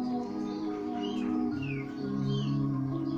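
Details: CCE SS6880 3-in-1 stereo before repair: cassette deck plays music with held notes wavering slightly in pitch, tape speed fluctuating (wow and flutter); one of the two decks was known to falter.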